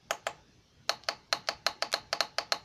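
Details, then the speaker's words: 2006 Jeep Grand Cherokee Laredo 3.7L transmission shift solenoid bench-tested with jumper box: crisp sharp clicks four or five per second as power applied; opens and closes properly, resistance 3.3 ohms within range, earlier coded faulty. "is my solenoid open and closing okay which according to the codes on my car it wasn't what is now so now I've got a solenoid that's opening and closing properly with bolts and it's also got the proper resistance at three point three"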